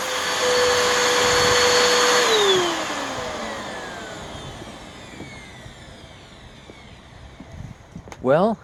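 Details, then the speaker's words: Waterlogged curb-find Bissell Powerforce Helix vacuum first switched on, a little water coming out, steady even high motor whine for two seconds then winding down smoothly; motor sounds fine, though filters clogged and belt suspected broken. "so let's turn the switch on gee that doesn't sound that bad and did you see a little water come out"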